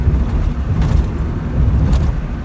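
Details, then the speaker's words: Maruti Suzuki Alto after suspension repair for knocking noise, driven on dirt track: low even road rumble with no suspension clunks or knocks, only slight door panel noise; suspension now quiet. "आवाज कितनी कम हो गई है तो देख सकते हैं गाड़ी में कोई भी आवाज नहीं है"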